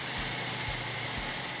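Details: 2003–2006 GMC Yukon Denali XL 6.0 V8 at idle just after new serpentine and A/C belts installed: even hissy idle with soft low pulse about twice a second, no squeal or chirp; belts seated, idling properly.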